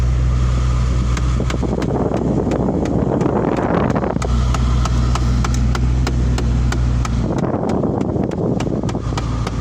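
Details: 2009 Ford Mustang GT V8 running with the air conditioning switched on: sharp, irregular ticks over the engine from the A/C side, cause unknown; clicking noise with A/C on.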